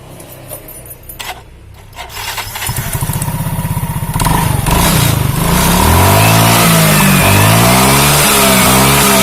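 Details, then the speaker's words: Automatic scooter that was weak on climbs and squealed under heavy load, after CVT repair and reassembly: starts after a few cranks, revs up and down smoothly with rear wheel spinning, no squeal or slipping; belt drive now healthy. "belakang itu tidak ada lagi bunyi teman-teman Oke sudah tidak"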